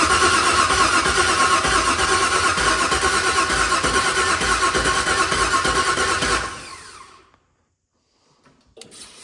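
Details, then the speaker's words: LS-swapped vehicle on its first start attempt, with new plug wires and the factory fuel pump relay: steady, even cranking for about six seconds without a single fire; cranks but won't start, no injector pulse found, cause unknown. "No such luck. Well, we're cranking. So now we got to figure out what's next. So we kind of got it sorted down to we don't have an injector pulse right now."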